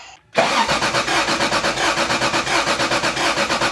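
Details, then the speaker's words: Rally Toyota Supra after a distributor timing adjustment: starter cranks at about five even compression beats a second but never fires; crank-no-start. "That sounds so close. >> It's very close. Let's check for spark."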